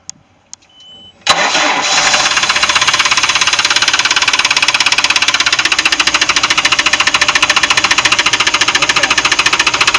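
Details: Chaparral boat, MerCruiser V8, that lost power on the lake after a winterization that left tape over the oil fill; the owner then added 3.5 quarts of oil and it reads about a quart overfull. After starting it settles into a sharp metallic knock, about three per second, over idle. Cause unconfirmed.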